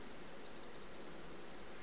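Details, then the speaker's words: iTaste VV v3.0 variable voltage/wattage vape battery shaken: quick light plastic clicking, about seven or eight taps a second, from loose buttons rattling; performance unaffected. "hear that rattling that's the buttons rattling and it doesn't affect performance at all"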